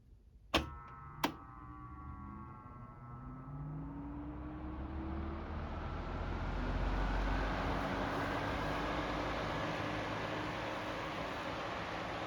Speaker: ll go ahead and start the fan on high speed now note the startup sound it's kind of weird it kind of sounds like a like a power grid shutdown sound right when you start it and then it Powers up like normal